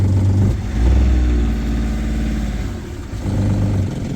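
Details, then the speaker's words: Boat inboard engine started after broken shift cable replaced with new cable and homemade stop shift collar; low steady thrum with gentle swells in loudness, smooth even idle with no knocks; running smooth. "Running smooth."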